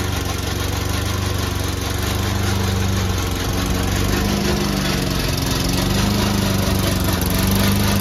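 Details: Old Toro Recycler mower cutting Kentucky bluegrass, binaural recording: a steady engine under a loud, harsh, unrelenting clattering rattle from the dry drive system. The racket was later solved with WD40.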